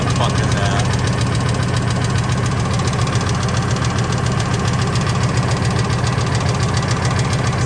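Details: Ford F250 V10: a fast, steady tick, about three or four a second, over a smooth idle, valvetrain-like rather than rod knock; owner suspects lash adjuster/lifter or rocker arm, unconfirmed.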